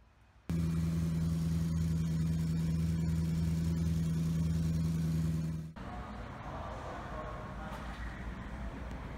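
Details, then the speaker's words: 2014 Maserati GranTurismo V8 completely cold at idle: steady, even low rumble with smooth regular beat, no knocks or ticks; normal, unlike the noise it makes when fully warm, which the dealer called normal. "And then here's how the vehicle sounds when it's completely cold."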